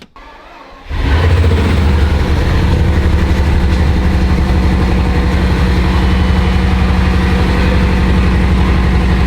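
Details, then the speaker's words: Repossessed 2006 Bugatti Veyron: cranks, catches, settles into deep idle with slight uneven stumble; owner suspects small misfire, engine and coolant lights on, won't go into neutral or drive. "So the car runs. To me, it sounds like it has a small misfire."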